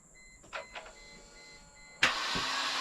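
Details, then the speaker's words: 1998 Mercedes C230 (W202) revived after sitting in a field since 2018. Quiet chimes, then a harsh, steady, high-pitched whirring grind with no firing; the starter is worn and going out, to be replaced later. "stop if it makes that noise just stop immediately that starter is going out the starter is a little worse for the wear so something will'll have to replace in the future"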